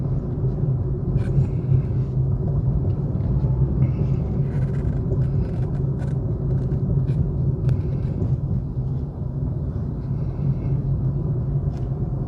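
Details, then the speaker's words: 2021 Suzuki Swift 1.2 GL Plus: low, even, very quiet idle with no knocking or shaking; normal idle. "สวยถึงล้านแล้วหูนิ่มมากแทบไม่ได้ยินเสียงรถเลยนะโอเครื่องเดินเรียบไม่เขกไม่สั่นนะ"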